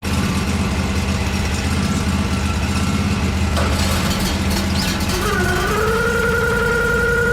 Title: What is this sound???#lawnmowingbusiness #lawncare #work #lawnmaintenance #lawnmower